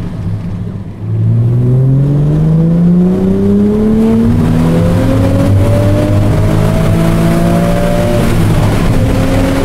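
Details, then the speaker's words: Aston Martin DB7 V12 revived after engine failure from storage, fitted with the optional sport exhaust, at full-throttle acceleration: a smooth, clean note climbing through the gears toward the redline with no misfires, knocks or rattles. "I'll try to show you what a good acceleration sounds like"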